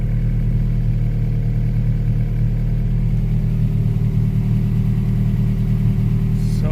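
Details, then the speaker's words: Engine-swapped Honda Prelude, first start after sitting, harness thrown on as-is, open exhaust manifold, no throttle pedal hooked up: loud, raspy but even idle with open-manifold drone, steady rhythm, no knocking or misses, 40 psi oil pressure; normal idle. "Dusty in here. But so she's running."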